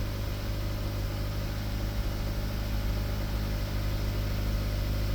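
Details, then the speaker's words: 2017 Honda Accord first cold start after replacing the timing chain tensioner: smooth, even low idle with no ticking or rattle; cold start rattle gone, confirming the noise came from the tensioner. "Let's see cold start first time. Let's see if there is a noise. Okay guys, no noise. So the noise came from the tensioner."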